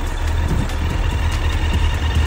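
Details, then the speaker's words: Suzuki GSF1200S motorcycle with carburetors, warmed up and idling at 1,000 rpm: low, steady rumble holding revs, with no squeals, knocks or noise. Normal idle. "то есть вот чекает уже прогрел 1.000 оборотов держит Звук вот такой он не шумит ничего не орёт"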